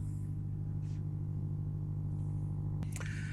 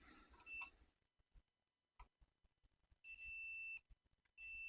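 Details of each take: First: Vacuum tube amp after tightening an input: steady 50 Hz hum with a buzzy edge, constant pitch, and a brief click near the end; output valves not red-plating; a ground problem is suspected, not confirmed. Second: Vacuum tube amplifier (RK 50 custom build): meter common lead on the IEC socket earth pin while each chassis ground is probed, giving a short beep and then steady high tones against quiet clicks; continuity confirmed, ground connection good.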